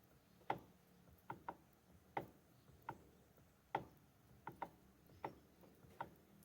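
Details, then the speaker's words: Mitsubishi L200 Triton, steering wheel removed then refitted: irregular sharp clicks, one or two a second, heard in the steering column while turning the wheel; no play in the steering; owner suspects a bearing, cause not confirmed. "e às vezes tô dirigindo aí mexer no volante do Cavaco Oi gata tá dando essa estrada aqui ó tá na direção não tem folga é só desmontei essa coluna por causa desse Estrada aqui ó me parece a história de rolamento"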